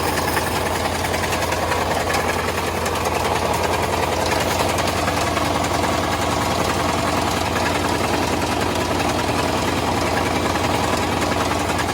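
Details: Two-door Chevrolet Tahoe started after sitting for months, oil leak present: loud, busy idle with rapid, uneven knocking, steady throughout; deep knock of unclear cause.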